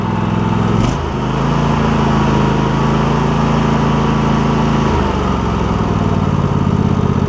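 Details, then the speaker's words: Cub Cadet GT1554 garden tractor with Kohler V-twin, new ignition coils for misfire-when-hot, after about 30 minutes mowing, fully warm: steady, even low drone with no stumbles or skips holding speed under load; normal running. "running good running really good actually"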